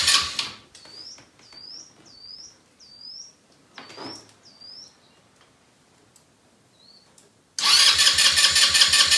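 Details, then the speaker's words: Elstar 150cc single-gear 2WD quad bike, long stored, battery reconnected and out of gear, bird chirps at first: a steady starter churn at about three pulses a second never catches. Cranks but won't start; owner suspects the spark plug, cause unconfirmed. "let me just check the spark plug again it could have been failed from all the other attempts i was trying but no fuel leaks which is good"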